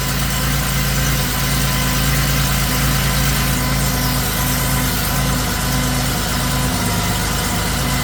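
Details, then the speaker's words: 1979 Porsche 911SC rebuilt air-cooled flat-six with CIS injection on test stand, cold start at 16°C after timing and mixture set, rings not yet bedded in; loud steady low idle, even beat, no knocks or rattles, running smoothly. "not so happy got to turn the fuel on oh let's start again oh that sounds better yeah much happier"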